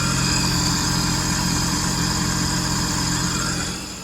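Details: 2010 Sea-Doo RXT 260 with SBT rebuilt engine, tested after carbon seal and jet pump repairs, air box off, cold mid-40s °F day, bilge pump running to clear residual water: smooth, steady idle with a pump whirring alongside, no knocks or rattles; purrs like a kitten.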